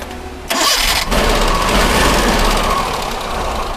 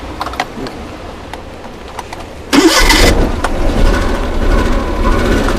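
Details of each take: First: Suzuki Mehran 800cc petrol engine cranks, catches quickly and settles into a steady, even idle after a misfire repair. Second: Used Suzuki Mehran 800cc petrol engine cranks, catches and settles into a lumpy, uneven idle with an engine misfire, as if one cylinder is dead.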